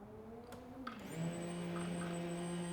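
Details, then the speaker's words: Second fuel pump of a turbo build, triggered by the relay wire with no fuel in the tank yet before adding E85: a click, then a loud steady electric buzz, louder than the first pump, running normally. "so plug that onto there and you will hear the second part buzzing cuz it is a fair bit louder than the other"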